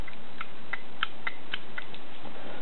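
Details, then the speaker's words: Honeywell thermostat taken apart, its thermal switch with copper contacts worked by hand: crisp light clicks, about three a second, as the contacts snap back and forth; normal switch operation. "you're hearing is this relay clicking back and forth. That's all that is. The relay is clicking back and forth."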